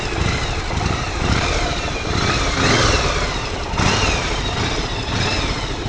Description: bruit du moteur